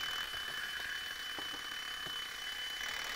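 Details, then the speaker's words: 1972 Zelmer type SC hand dryer, automatic timer switch tested after pushing lever: fast even clockwork ticking with sharper clicks over faint hiss, then a click as it switches off and cuts current; normal operation. "No i teraz znowu, jak to terkotanie się skończy. O, wyłączyło. Słychać było kliknięcie i nie mamy tutaj już połączenia prądu, czyli to wszystko tutaj fajnie działa."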